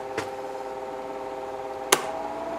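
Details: Office electric fan about 25–30 years old, after a capacitor replacement, on medium: steady, even motor hum with a faint airy whoosh and a couple of stray clicks; the fan runs smoothly.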